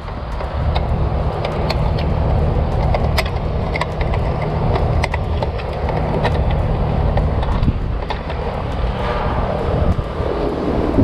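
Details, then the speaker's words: Trane XR condenser unit, about 7 years old, after replacing the failed condenser run capacitor: starts and runs with a steady low hum and even fan rush, no clicking or buzzing; normal running after repair. "yeah I can hear the condenser humming so uh definitely uh working right now"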